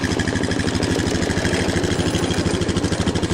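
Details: Honda Foreman after repairing mouse-chewed wiring harness, battery trickle-charged: quick, evenly spaced thumping at a steady idle with no stumbles or extra clatter; the single runs clean after starting.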